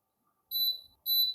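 Two clean high beeps about half a second apart, one per button press, nothing else amiss; the fan's controls respond normally.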